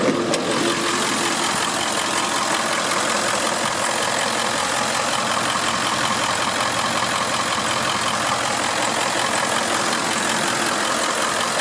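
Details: 2001 Ford F550 XLT crew cab 4x4 tow truck, 7.3 diesel, manual transmission, just started: steady diesel idle with even rattle and a hiss on top, no miss or heavy knock; normal healthy idle.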